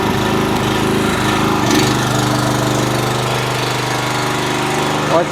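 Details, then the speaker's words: A 4 kW generator with a kettle plugged in as a roughly 2.2 kW load, just over half the alternator's capacity, gives a steady engine drone and firm hum that dips slightly as the load comes on, then holds even; it runs fine under load. "I'm going to grab said kettle and plug it in because it kills two and a half kilowatts and let's see where she drops to"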